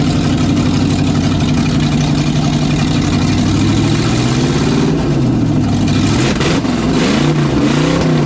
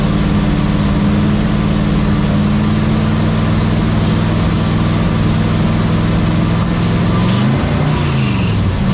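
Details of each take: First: '67 GMC C10 with newly swapped 400HP small-block Chevy 350 with a little cam, first test run: deep even V8 burble with clean throttle blips rising and falling, no misses or knocks; healthy. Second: '67 GMC C10 with the tired old 350 V8, warm, at steady running: thin constant squeal over exhaust drone, no obvious knock; engine drops oil pressure once warm, squeal source unclear.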